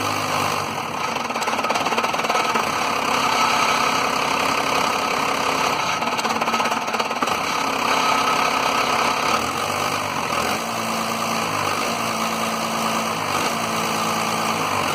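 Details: 1993 Dodge Cummins diesel with low power: lumpy, uneven idle that stumbles and cuts out every few seconds while fuel pressure is watched; owner suspects the lift pump, not confirmed.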